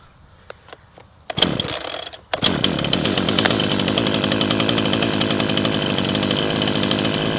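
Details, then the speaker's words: Brand-new Mountfield petrol chainsaw idling after choke released, ticking over 20-30 seconds: fast, even putter with no surging or misses; smooth idle. "let the engine tick over for 20-30 seconds. Remember, it's a brand new engine"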